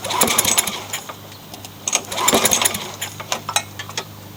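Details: Craftsman mower fitted with a swapped-in Yard Machines engine, just primed with fresh oil and gas. The small single-cylinder catches and runs in uneven bursts with sharp exhaust pops while still settling. The engine is running.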